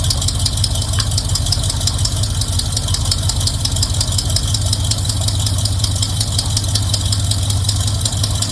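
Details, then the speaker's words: Squarebody Chevy truck now running on its own carburetor after the hoses were redone: a steady, even V8 idle with rapid exhaust patter, no misses or hunting. It sounds better. "Sounds better. Stunning turn of events."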